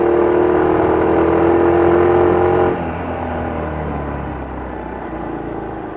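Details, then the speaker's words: Honda Little Cub 88cc single-cylinder, noise recurring after earlier repairs: whirring rattly note over engine beat, mostly at high revs, dying as revs drop; clacking from the front, feels like something dragging under the feet; abnormal engine noise, cause unknown. "Le bruit apparaît surtout quand le moteur tourne à plein régime. ・Un bruit de claquement vient de l'avant. ・On dirait que quelque chose traîne sous mes pieds."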